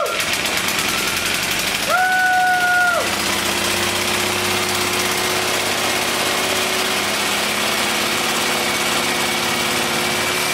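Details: English Suffolk Super Colt single-cylinder engine clamped to a stand, choked and primed, running after help with the manifold and ignition: steady, even fast beat with no misses or knocks; runs smoothly.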